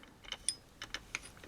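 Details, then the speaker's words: Seeburg jukebox record changer under restoration, mechanism calibrated: at end of record the reed switch activates, mechanism trips and cycles again; light irregular clicks and ratchety snaps as it trips, cycles and releases the clamp; normal healthy changer cycle. "and when this gets to the end the reed switch activates and then that mechanism trips then it goes through its cycle again"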